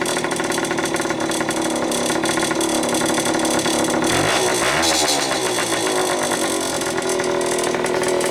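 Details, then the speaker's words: Restored Indian ME100 two-stroke running after boring the cylinder for an oversize piston: busy two-stroke crackle with a quick steady beat and a brief throttle blip midway; runs cleanly, sounds healthy. "The rest of the bike, we restored this, and as you know, we just got done boring out the cylinder, and now we'll fire it up."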